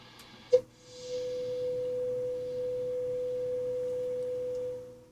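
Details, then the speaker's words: Hammarlund HQ-140-X receiver during restoration, signal generator at 5.6 MHz on the 3.2–5.7 MHz band: clean steady test tone lands near 5.5 on the dial, well off calibration, possibly from age, before IF alignment. "yeah it's quite a ways off it's just above 5.5 and uh there's quite a ways from 5.5 to 5.6 and right now we're at 5.6"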